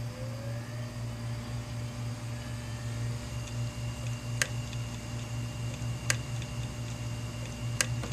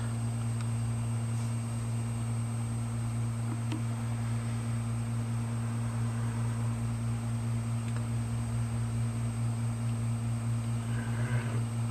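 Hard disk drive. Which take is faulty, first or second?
first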